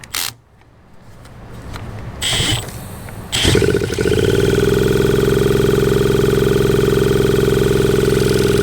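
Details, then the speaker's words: 1981 Suzuki TS250 two-stroke, long parked, B8S plug, started with a drill: after handling noise it catches and climbs to a high steady screaming rev that won't drop back; runaway revving, cause unknown. "So, yes, it will run. Something's not right. So, yeah, I think we're going to conclude that here and start doing some digging and uh figure out what is going on with this cuz it just goes berserko."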